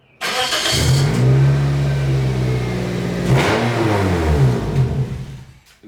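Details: 2004 Toyota Corolla, over 211,000 miles, exhaust rusted off at the muffler: engine revving with a loud raspy open exhaust roar. New pipes only slipped together, not yet tightened or welded, so the joint still leaks.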